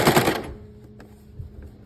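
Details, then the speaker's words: Sewing machine: burst of rapid stitching chatter cuts off, leaving a faint steady motor hum and stray clicks; it jams whenever it stops with the needle up, making an odd motor noise, now constantly, sometimes won't run. "mas toda vez que ela para em cima ela trava antes ela fazia isso raramente agora ela tá fazendo direto e tem hora que ela nem empara e não quer andar"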